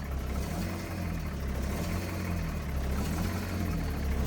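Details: Foretravel Grand Villa motorhome diesel, possibly a big Detroit V8, 50,000 mi, just started after sitting over a year, cold at about 50°F. Deep, steady rumble with an even beat and only a slight lope while warming. It runs fine.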